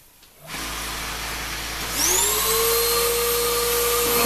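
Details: Shop-Vac vacuuming coarse tumbler grit: motor spins up with steady mid whine, thin high squeal over rough airflow roar, very little suction; owner believes dust drawn through before a separator was fitted ruined the motor.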